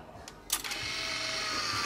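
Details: Fujifilm Instax Wide 300 instant camera after fixing a power-on error and flashing fault; sharp shutter click then about one second of steady high motor whir as the print ejects. Normal shutter release and film eject.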